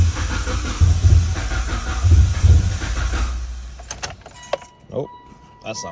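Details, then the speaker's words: Crank no start after fuel pressure regulator replacement and fresh fuel: starter churns steadily about three beats a second for three seconds, engine never fires. "all right spray brake cleaner into the vacuum Port still didn't start it runs a little bit with the fuel pump disconnected uh but obviously it dies because it's not getting fuel with the fuel pump connected it doesn't run at all"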